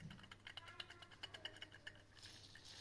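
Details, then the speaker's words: 2011 Range Rover Sport L320 3.0 TDV6, drive belt idler pulley spun by hand during front timing belt job: uneven dry clicking and ticking from a worn, rough bearing, not loose; pulley to be replaced. "The idle pulley was really bad condition. Can you hear that? It is not loose. But we will replace that as well."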